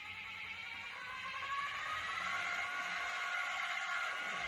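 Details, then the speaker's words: Model beam engine driven by a DC motor at top speed: steady high multi-tone whine comes from the DC motor's reduction gearbox, not the engine itself. "once again that whining noise is from the gearbox in the the DC motor and not the not the engine itself"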